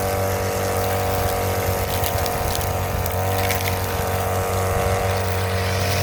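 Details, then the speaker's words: Brand-new Hyper Tough 2-cycle 18-inch straight shaft gas string trimmer (26cc per description, 22cc spoken), first use: steady high two-stroke buzz, even with no misses or surging; runs clean and healthy. "It goes to show a new one works way better, man, because this one turned on like idiot."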